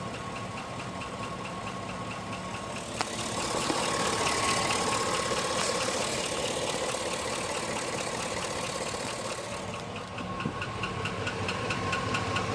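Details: 2005 GMC Sierra at steady idle: light, fairly regular tapping about two per second over the engine hum; engine knock, cause not pinned down.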